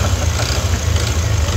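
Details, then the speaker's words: Yamaha NMAX V2 scooter engine before repair: rapid hard knocking over a rough idle, steady with engine speed; connecting rod knock in the bottom end, silent after the fix. "Malakas malakas yung ingay. Yan. So tunog ah katok yan."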